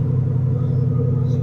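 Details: 1997 Suburban K1500 after fuel tank swap and reversing the fuel pump's gray and black wires to restore fuel delivery: steady, even low rumble with no misses or stumbles; engine running smoothly.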